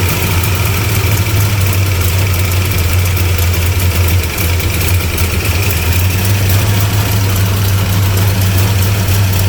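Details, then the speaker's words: 1975 Plymouth Roadrunner V8 revived after about 20 years, running on the battery with timing unchecked: a loud, deep, loping, uneven idle that stays lit. It runs rough and sounds lean. "That sound better? Sounds lean. Sounds lean."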